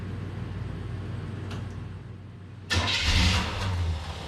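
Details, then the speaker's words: Quiet cranking, then the engine catches with a loud uneven burst and sags away; start-and-die caused by stripped teeth on a little ignition switch gear, so it died as soon as the key was let off. "s dying as soon as it let off because that little gear had some teeth stripped on it. And yeah, so my friend helped me decipher that over the phone, and that's why it would start and die and start and die and start and die."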